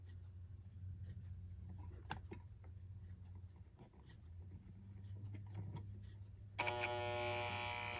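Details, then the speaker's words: 1960 Seth Thomas Canewood electric alarm clock after restoration, alarm set to 5:00: a faint hum, then a sharp steady electric buzz kicks in and holds; normal alarm buzzer. "Now, let's check to see if the alarm is working. I have it set to 5:00."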